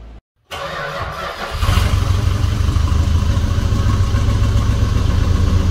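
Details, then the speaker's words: 1971 Dodge Coronet police car, 4-barrel 383 big-block V8, after sitting since the early 1990s, new plugs, wires and oil: cranks, catches, smooth even idle, no knocks; "purrs like a kitten". Normal idle. "well I sure can't be any happier at this point the thing purrs like a kitten"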